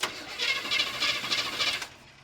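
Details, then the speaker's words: 1980 GMC K20 that has sat unregistered since 2014, cranked by jumping the starter without the ignition on: a steady, even rhythm of about three compression pulses a second with no catching or drag. The oil pressure gauge apparently did not move, and the engine turns over smoothly. "It turns over smooth, boys. Holy crap."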